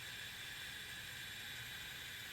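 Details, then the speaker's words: 1994 Mazda Miata NA, key on, engine off, after installing new Deatschwerks DW200 255 LPH fuel pump: steady high-pitched whoosh and hum cutting off cleanly after about two seconds; pump primes correctly, wired properly. "Put it right here, and we should hear a whooshing sound."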